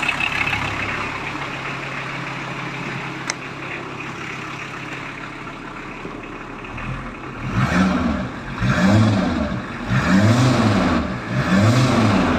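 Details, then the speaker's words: VW Transporter T4 after swapping the older pre-95 2.4 straight diesel for the newer single-rib-belt 2.4 engine, with dual-mass flywheel fitted: even diesel clatter at idle, then smooth clean revs, much quieter than the old banging engine, no smoke. Normal running. "as you can hear it's a lot quieter not banging or laughing like the other engine"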